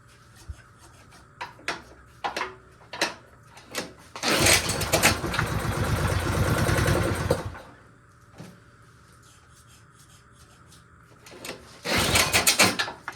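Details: A snowblower returned by a buyer, which would barely run, is restarted after its fuel was drained. It fires in ragged bursts, runs roughly for a few seconds, then dies. No difference from the fuel drain; the cause is still unclear.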